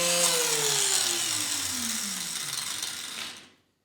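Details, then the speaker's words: Starter motor of a neglected Craftsman snow blower (model 247.889571), bench-tested on mains power via its cord: it whirs freely and coasts down with a falling whine, so the starter motor is good and only a micro switch needs replacing. "so I'm going to plug in the cord it'll not be energized then I'll plug it into the wall and hopefully that starter comes to life so if the motor is good this should turn it on"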